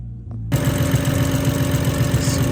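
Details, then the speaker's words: BMW 135i N55 after street racing, with metal found in the oil: once running, a deep, regular knock about seven times a second under the engine note, a rod knock. "could be rod knock so he told us to take off the oil filter and check the oil and sure enough we see metal inside the oil"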